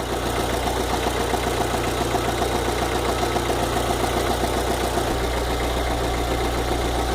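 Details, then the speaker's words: VW Fox 2009/2010 engine at idle, warm: regular fast tapping of about three or four per second, keeping time with the engine; ticking disappears when cold and returns when hot; cause unknown. "Quando tá frio, desaparece. Quando tá quente, ele volta de novo esse barulho."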